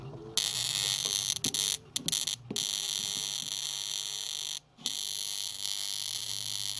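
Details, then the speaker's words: Sharp R-350E inverter microwave, 240 V, powered on: harsh high-pitched buzz cutting in and out with flashes underneath; not the magnetron, arcing at a completely unsoldered joint on the incoming power circuit board. "look at that joint completely unsorted so it's been arcing across this point here"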